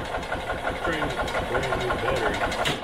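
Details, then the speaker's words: 1986 EZ Go Marathon golf cart, two-stroke with oil injection deleted, premix fuel, choke on, bit of oil added: uneven chuffing about three puffs a second while cranking, never catches; fuel starved, not drawing fuel through. "choke up and it should be helping pull pull some fuel through I went ahead to just through just a little bit of oil in there just in case just to help get some oil down in there I think it's all the way it's gonna take it a while to draw the thing"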